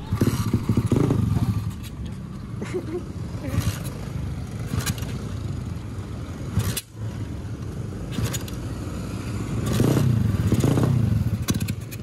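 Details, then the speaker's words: Supra motorcycle fitted with a Daytona engine, first test ride: after stalling on uneven ground when the clutch was released abruptly, several uneven cranking bursts with stumbling before it catches and holds; restart was harder because the bike was tilted. "Tadi bisa dilihat motornya tuh mati. Nyalainnya juga tadi agak sedikit susah karena kondisi gua nyalanya tuh agak miring, sorot dulu."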